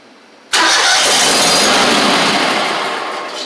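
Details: Gravely 260Z mower with a Kohler engine, before repair; catches and revs briefly, then fades and dies within about one second as the spark cuts out; starts but won't keep running; a short near the oil light switch or wiring is suspected.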